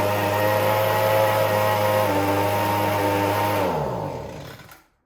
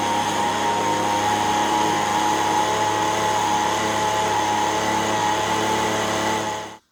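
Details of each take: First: Echo ES-210 handheld leaf blower, about 15–20 years old: engine hunts from top RPM down to almost stalling and back up; fuel delivery problem suspected, gummed-up carburetor probably due for a rebuild kit. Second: Echo ES-210 handheld two-stroke leaf blower, about 15–20 years old, test run after repair of RPM surging, choke on, full throttle: steady high howl, even pitch, no hunting or surging until shutdown; later measured about 7,100 RPM.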